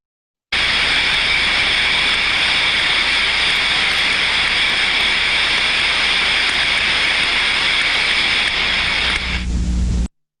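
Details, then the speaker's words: Failed steam trap heard by ultrasound: constant, unbroken rushing hiss of steam blowing through with no cycling or pauses; trap passing steam continuously, suspected, not confirmed. "we've all the other failed types of traps you can hear they're the constant flow and sound of steam going through there"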